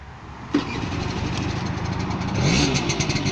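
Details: 1985 Honda Vision 50 moped two-stroke, previously flooded and hard-locked, electric start needing brake lever pulled: a sharp click, then it catches and runs on a rising buzz. Normal electric start.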